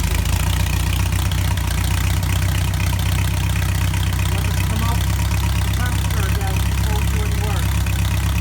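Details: VW-engined buggy, air-cooled flat-four, after a carburetor swap with carbs balanced on a synchronizer and linkages set up; steady even low idle with no misses, surging or hunting, carbs sounding balanced. Normal idle.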